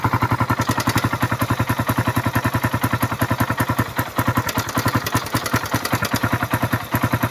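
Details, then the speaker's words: Suzuki Raider after overheating and dying; carburetor cleaned, filter added, spark plug, regulator and battery replaced, oil added; one-click start, sharp fast regular ticking (~2–3 per second) over the idle – noisy engine ticking ("pumipitik") after overheat. "Pakinggan natin yung makina dahil maingay yung makina nito, walang natuyuan. Ayan. Yung pumipitik na yan. Yung pumipitik."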